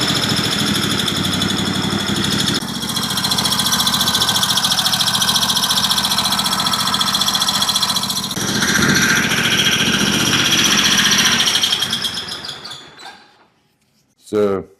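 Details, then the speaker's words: Cub Cadet LTX 1050 with Kohler Courage 22 hp V-twin, hot engine: high thin squeal over the steady idle, briefly changing pitch before shutdown, from inside the engine; found to be a rocker arm running dry. "But anyway, when it gets hot, it's got a bad squeak, and it's inside that motor."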